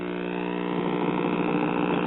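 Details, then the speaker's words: 1950s Waters-Conley record player, two-stage tube amplifier (50L6 output, 12SQ7 driver), first power-up: steady low buzzing hum with no change; mains hum, suspected bad filter capacitor. "I think we have a bad filter capacitor"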